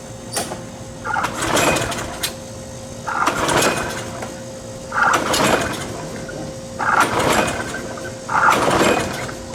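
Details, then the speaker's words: Curbside Troy-Bilt mower engine sprayed with starter fluid/contact cleaner, being pull-started; five brief rough churns about every two seconds that die without catching; suspected timing issue. "that was interesting that actually sounded like maybe a timing issue"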